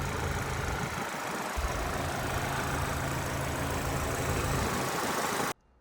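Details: Current-model 25-plate pearl white Mini Cooper salvage car with works kit, 29,000 miles, just started: smooth, even idle with a steady low hum and no tapping or misses until it cuts off; healthy idle.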